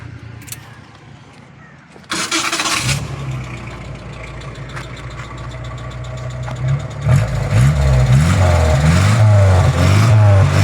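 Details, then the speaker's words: Van repaired after a rusty fuel tank caused stalling: catches on the starter, then idles with a dull knock following the revs, with heavy exhaust smoke from burning oil; piston slap. "Sekarang ni apa yang saya jumpa enjin ni bunyi knocking eh."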